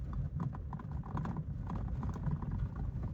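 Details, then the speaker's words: Toyota Avensis T22 at low speed on rough gravel: irregular dull clunks felt through the steering wheel; suspension is tight, and the owner suspects the steering rack pinion-to-rack joint. The rack is not leaking. "я грешу на рейку саму может быть это соединение шестерне рейка стучит"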